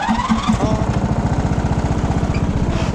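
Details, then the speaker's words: Free Simplicity riding lawn tractor after a new fuel filter and fresh gas, on a test drive. The small single-cylinder engine thumps along at a steady, even beat with no misses or knocks. Normal running. "doesn't sound too bad for free if you ask me"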